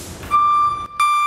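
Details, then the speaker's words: Buyers Products self-grounding 12/24 V DC backup alarm, rated about 107 dB, mounted on a vehicle and tested with the driver in reverse: loud steady high beeps in two long tones with a short gap, extremely loud and working properly. "as you can hear it's extremely loud i can hear from way up there and everybody in the shop can hear it too"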